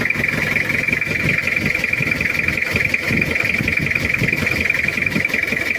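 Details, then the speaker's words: Cold Toyota Kijang diesel idling with a limping, uneven knock and puffing under a steady high hiss; glow plug problem, leaking compression, burns oil, due for overhaul. "jadi ada yang bermasalah Disi pemanasnya dan ini adalah suaranya Udah pincang juga ada bubuk"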